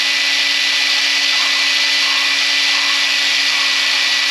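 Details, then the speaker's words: Valve being lapped on its seat with a drill during an engine refresh: steady high drill whine over a gritty, even hiss of abrasive paste, changing from coarse to fine as the seat beds in; normal lapping. "You can hear the uh the stone. Imagine like the stone going from a big grind to a small stuff grind like it's um going from coarse to fine. You can hear the sound changing."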